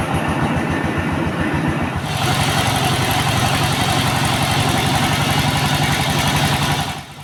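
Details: S-1115 single-cylinder rice-mill diesel, serviced for thick black smoke, fuel use and overheating, warming up after reassembly: a steady, even, clean thump of about four beats a second, a normal idle.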